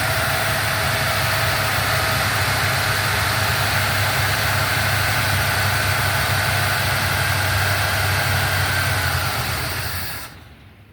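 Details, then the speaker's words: 1977 Buick LeSabre engine idles steadily but slightly rough for about ten seconds, then fades and stalls, perhaps from lack of fuel, after fuel was added and poured into the carburetor. The fuel pump is brand new, so the owner suspects a clogged sending unit. "and she just died on me. So I'm really thinking either the sending unit is completely clogged over on her, or because the fuel pump is actually brand spanking new on"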